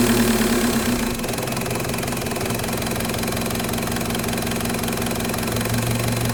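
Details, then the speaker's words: Mk1 VW with M-TDI swap and Bosch VE pump: diesel settles into a high idle that hangs; uncontrollable rev hang from wrong throttle lever position. "as soon as you do hit the gas, the collar is so far over the spill ports that you end up basically just going into weird rev hanging that you can't actually control."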